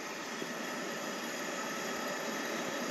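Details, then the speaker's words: Pressurised camp stove after a single pump and about a minute of preheating the generator pipe: steady, even hiss with no sputter or pulsing, flame burning smoothly, normal running. "there's just like a constant hiss so we're good"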